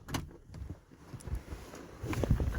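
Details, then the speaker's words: 1989 Lincoln Town Car Signature Series: uneven thumping and grinding as the glass travels, as if the window motor teeth are rubbing the regulator gears. The owner suspects a wrong or donor window motor; the cause is unconfirmed. "it's making a rubbing sound and I can feel the teeth even when in my hand the teeth from the window motor hitting the window regulator gears"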